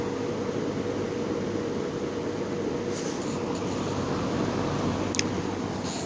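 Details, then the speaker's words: Repaired GE fan motor switched to its other position: even, steady hum with soft air rush, no rattle or grinding, only a couple of brief clicks; quiet, with low speed seeming faster than the other position. "Kind of funny because it seems like the out position doesn't seem to be too noisy at all. And it seems like the low speed on this is a is a bit more faster than the other position."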